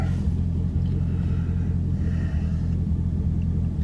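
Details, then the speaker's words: Camaro LS3 V8 after fixing a crank-no-start: aftermarket cold air intake let the mass air sensor harness rub the power steering pulley, shorting a fuse; now starts right up with a low, steady, even idle rumble; normal idle. "this is gonna start and stay running starting right up"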